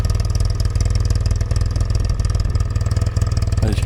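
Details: Yamaha TX750A twin idling on a very hot day: steady, even thumping idle about four beats a second, no misses or hunting; owner notes slight ticking from tappet adjusters; normal idle.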